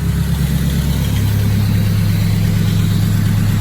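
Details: Freshly rebuilt turbocharged K-series engine, hot after running 15 minutes: deep, steady idle with no ticks or misses. No check engine lights, no funny noises, no overheating, temperature good, cooling system bled; a healthy warm idle.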